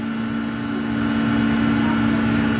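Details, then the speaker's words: Samsung washing machine with a 3C error, after repair, spinning through 400, 800 and then 1200 rpm: steady, even motor hum, no knocking or scraping; the board checks each speed band and all are fine. "ở các giải tốc độ mạch điện nó sẽ kiểm tra và ở các giải tốc độ đều ok thì là sẽ không có vấn đề gì"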